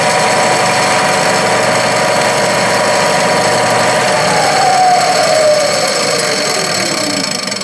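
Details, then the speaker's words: Clausing 12-inch Model 5900 lathe, 1970s–80s, Reeves variable-pitch drive with two wide belts, motor only running with the clutch disengaged: loud steady belt whir and hum, tone sliding with speed; noisy but normal. "This is a Reeves drive here, variable pitch, and we got two big wide belts. They make a lot of noise."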